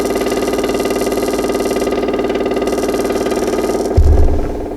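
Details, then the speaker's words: 1937 Ford V8-60 flathead with a newly installed 6-volt electric fuel pump replacing the leaking stock mechanical pump; fast even clicking pulse with steady buzz, pumping about 2.5 psi into the filter, normal operation. "oh it's popping it's pumping like a son of a gun"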